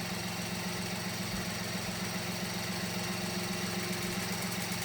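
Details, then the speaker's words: Mini Cooper at idle during a spark plug change: steady idle with quick light ticking, about three or four ticks a second, that comes and goes. Owner suspects something loose, possibly the plastic cam timing tensioner; not confirmed. "you hear that attack out of nowhere she's like right here and then she goes away hear that yeah i i i don't trust these engines i really don't we think something's loose in here the way it sounds"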